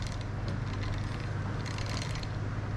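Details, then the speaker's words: TrailMaster Mini XRX go kart after the rusted, sticky clutch and chains were lubed and adjusted, chain possibly still a little loose; steady low churning drone with faint rattly chatter, no binding or snatching, slinging oil: chain turning freely. "that's what it was it was all this uh rusted nasty stuff back here and now you see it's slinging oil everywhere and it's freeing up nice that oil freeing it up nice"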